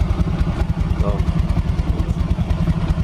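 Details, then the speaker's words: Yamaha Mio Soul automatic scooter running with the rear wheel turning, low even throb and smooth CVT sound after earlier loud noise; noise traced to a broken rear CVT part and wrong non-original part. "ya suaranya lembut lagi berarti permasalahan suara berisik tadi berpusat dari bagian area safety ya"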